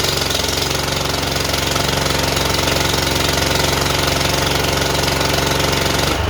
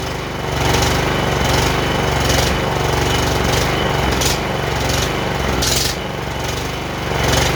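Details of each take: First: John Deere JX85 commercial walk-behind mower, previously hard starting and surging, after repair and tightening the air filter cover, started on full choke with blades engaged: steady, even engine beat, no surging or hunting under cutting load. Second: John Deere JX85 commercial walk-behind mower, choke just taken off: engine hunts up and down about once a second instead of holding governed speed; owner suspects lean fuel-flow problem, carburetor to be serviced.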